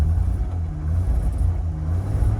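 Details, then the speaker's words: 1966 Jaguar XKE Series 1 2+2 started cold with choke up: quiet, smooth low rumble at cold idle with no knocks or ticks, barely audible; oil pressure up, water temperature still rising while warming on a wintry day; normal idle. "now she's a little bit cold so you can you can barely even hear the motor running that's how quiet this thing is"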